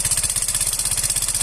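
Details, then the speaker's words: Yamaha Fino 125 with the CVT pulleys removed: a fast, harsh, metallic tapping at about 18 per second, so it comes from inside the engine. The owner says the oil never ran dry; the head is to be opened next. "Oke teman-teman, kita dengarkan di sini suaranya sangat berisik sekali ya. Ini sudah 100% bukan dari CVT."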